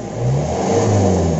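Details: Mitsubishi L300 pickup with online-bought whistle (serigala) exhaust tip: engine revs in a low, even drone with no whistle; tip not sounding, possibly wrong diameter.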